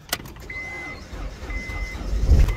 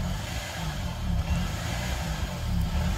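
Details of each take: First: 2005 Honda Accord with 206,000 miles that had sat for years, started after cleaning the battery terminals and using a jump box on boost. A short crank with door chimes, then it catches and settles into a steady idle; it starts and runs. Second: 2005 Honda Accord that sat for a few years, started with a jump box; codes P0135 and P0141 and an idle air control fault are read. A raised, fairly even idle with slight surging: high idle from idle air control fault.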